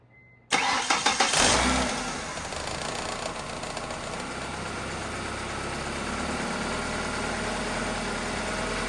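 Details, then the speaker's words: 2-door Ford Escort after gutting the seized AC compressor into an idler pulley with a new bearing and fitting the stock serpentine belt, earlier tensioner pulley grinding and squealing: cranks, catches cleanly, steady even idle with no grinding or squeal. "So That's the timing belt. We're looking at these ones down here. And it sounds pretty good."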